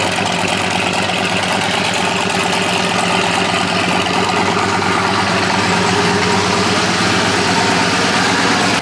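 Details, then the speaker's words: Old Chevy/GMC Sierra truck fitted with a Hellcat fuel pump, heard under the hood: loud steady running with busy diesel-like clattery ticking; suspected injector knock from too high fuel pressure, stock pump to be refitted. "Sounds like it's diesel. I think it's injector knock. Coming from too high a fuel pressure."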